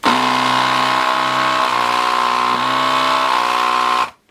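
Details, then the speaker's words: Gaojie S-998P 220 V 100 W desoldering gun vacuum pump: steady buzz that dips slightly in pitch as air and solder flow through the nozzle, slowing only a little; normal loading. "does slow down when you've got it coming through the nozzle. But not by much."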